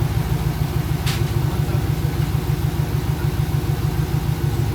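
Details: Pontiac GTO revival project engine running for the first time after final electrical connections and fluids: low, even thumping idle at a steady beat with no knocks or misses, warming up normally, temperature around 160, garage filling with smoke.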